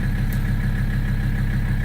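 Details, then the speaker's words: 1984 Mercedes-Benz 300TD diesel with a straight pipe, returned to high idle (oil pressure around 2) from a 650 rpm low idle: steady, even clatter with no misses or knocks, a normal high idle. "So we'll put it back to high idle and let you see."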